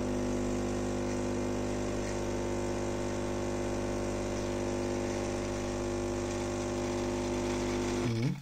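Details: Philips HD847 coffee machine after cleaning a valve (previously heated but delivered no water): steady buzzing pump hum at even pitch for eight seconds during the rinse, then clean wind-down; pump working normally.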